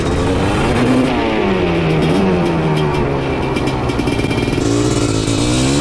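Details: Honda TRX250R two-stroke with 310cc ESR big-bore top end in a TRX450R frame, on race gas, after tank swap to stock: revs climb and fall but stutter and go ragged at three-quarter throttle instead of pulling clean; cause unconfirmed.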